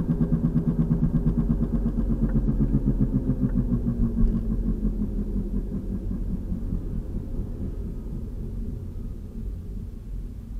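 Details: 2003 VW Passat FWD, 180,000 miles, driving: rhythmic boom-boom thumping, about three per second, faster with speed, louder when steering loads a side; suspected passenger-side front wheel bearing, bushing or tire; torn CV boot.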